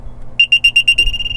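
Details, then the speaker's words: Aerobic septic system alarm sounding because the pump was switched off (e.g. before mowing) and not turned back on: six quick high-pitched beeps about eight a second, then a steady tone; alarm can be muted at its switch. "You can also mute the alarm if it's going off by hitting that the opposite direction."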